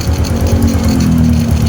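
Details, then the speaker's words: Honda Wave 100 single after repair for a noisy engine, with oil pumping fixed and worn block part and smoking valve seals replaced, connecting rod kept; steady, even, very quiet idle with no ticking or clatter, normal idle. "So yan sobrang tahimik mga masher ayan oh tanin natin yung sumasagitsit yung ba walang kaingay-ingay sobrang tahimik."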